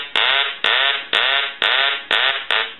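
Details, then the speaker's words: Duck novelty telephone, final check after repair and reassembly: loud quacking ring bursts repeat about twice a second, strong and even, so the ringer works properly. "so we're going to go ahead and ring the duck again"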